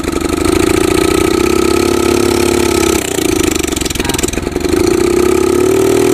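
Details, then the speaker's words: Yamaha Jupiter MX with recently rebuilt engine: carburetor vacuum slide fault; held open by prying the slide and throttle it runs at raised speed, sags and stumbles mid-clip then picks up, but won't idle on its own and dies; fix planned: replace with RX Special carburetor. "uh hai tuh itu dia bunyinya dan juga pasti hidupkan dicongkel mau hidup tapi pasti lepas dia gak mau idup"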